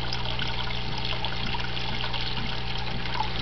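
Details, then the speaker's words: Desktop aquaponics, two tanks linked by auto-leveling siphon tube, two grow beds, one pump: steady rushing trickle with low gurgle, no breaks; siphon fully primed, draining bed and exchanging water between tanks normally. "every time we start this siphon it pulls water from this tank to this tank and work exchanging water"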